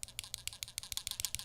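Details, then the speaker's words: Chimera65 custom keyboard, Durock V1 stabilizers, lubed and filmed Alpaca switches, GMK Taro caps: pressing one side of a stabilized key gives sharp clicks with a light extra tap, showing the stabilizer wire bowing. "You hear that? That means that it's bowing a little bit, because I can hear that on the other side."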